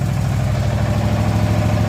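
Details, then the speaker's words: Cub Cadet small engine after a new starter and starter solenoid were fitted and its no-spark coils were cleaned and re-gapped: a low, even, steady putter at idle with a regular beat and no misses, running healthy and warming up. "starter solenoid and then I uh cleaned up the the magnets and there you go she's running"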